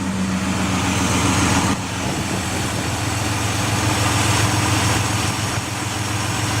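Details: 2004 Ford Escape XLT 3.0L idling in park after fitting a remanufactured MAF and reinstalling the Bosch O2 sensor, battery disconnected: steady hum with faint uneven light ticking about three or four a second; rough idle with ticking, cause unknown.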